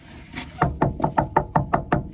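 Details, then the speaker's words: Crawlspace drain line back-pitched toward the toilet: about eight quick taps on the pipe sound dull and solid with no ring, meaning water is held in the pipe for lack of pitch. "you can hear how solid that is. It's water in the pipe. So water is being held in this pipe because it doesn't have enough pitch on it."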